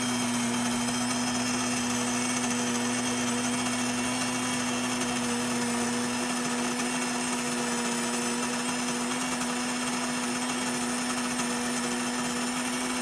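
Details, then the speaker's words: Electric grain mill (Wondermill) grinding berries into flour: steady high motor whine with gritty crackling of grain; crackle fades once berries pass through, normal milling. "so as the sound dies down you can tell whenever the berries have gone all the way through because you can't hear that crackling popping noise anymore"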